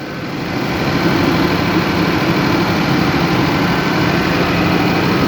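Even diesel thrum that holds one speed under load, with no surging rise and fall; the engine has settled and runs steady.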